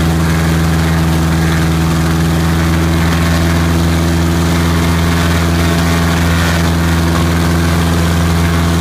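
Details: Piper Apache aircraft engine, run-up on first start after rebuild: deep, steady drone at high power holding a constant pitch without misses or surging; engine running strong and healthy.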